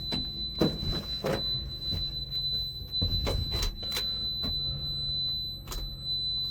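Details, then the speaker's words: Solar power system battery down to about 9; thin steady high-pitched electronic beeping over knocks and handling noise, the inverter's low-battery alarm, solar fault suspected. "Um, something's wrong with the solar, obviously. As you guys saw, it was down to like 9 something. Um, if I go back in there, you'll probably be able to see. You can hear the beeping."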